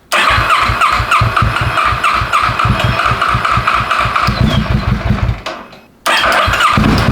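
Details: 600cc crosskart at its first start after three years of building, with a new chain tensioner fitted and almost no fuel in the tank. It catches straight away and settles into a quick, even four-cylinder beat with crisp revs; it starts and runs cleanly.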